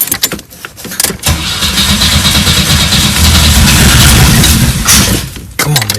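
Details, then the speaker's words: 1984 Pontiac Fiero, first start in 30 years: the starter cranks, the engine catches and runs roughly for a few seconds, then dies. It won't keep running; owner suspects the fuel pump, since no fuel comes from the tank. "Thing is running. We just got to figure out how to keep it running. And it's probably a fuel pump or something."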